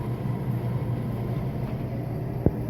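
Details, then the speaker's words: Dishwasher after unclogging its blocked drain hose and refitting the filter, switched on: steady low pump hum with water gurgling through, no grinding or straining; drain pump running normally and emptying the water. "after turning on you can hear it's draining the water"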